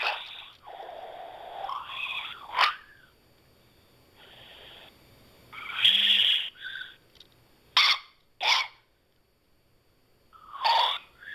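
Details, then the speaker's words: iPhone during a phone call making weird noises: bursts of shrill chirps and whistling squeals between quiet gaps; call audio glitching, cause unknown. "So I called my mom, right? And, it's making all these weird noises."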